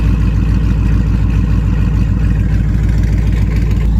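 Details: Dodge Challenger RT 5.7 V8, first start after a BBK long-tube header install: a deep idle with a sharp, regular puffing tick on each firing pulse, about three a second. Exhaust leak at the header clamps, which need fixing.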